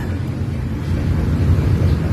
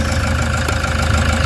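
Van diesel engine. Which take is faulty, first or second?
first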